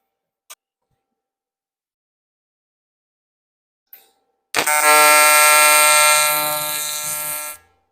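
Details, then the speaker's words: YesWelder CT2050 AC TIG on aluminum, AC frequency raised from 85-100 Hz to 150 Hz with balance turned up: after a click the arc strikes into a loud steady high-pitched buzz for about three seconds; the tungsten burned up. "we still running that 150 htz you can hear that really high pitched buzzing"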